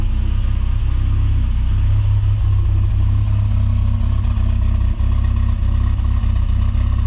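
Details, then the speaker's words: Rover Mini Cooper S Sport 5, 106,000 miles, after replacing fuel injectors to cure long-standing rough idle: firm, regular exhaust beat idling slightly high around 950 rpm, still a touch lumpy but smoother, no misfire. "It's idling possibly a little bit high, but that'll be it just adjusting back up. It's probably at about 950."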